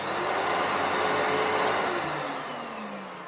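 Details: Panasonic MC-E468 vacuum beater bar after refitting a slightly loose belt; smooth even motor whir winding down steadily, no slapping or squeal; beater bar and belt running normally.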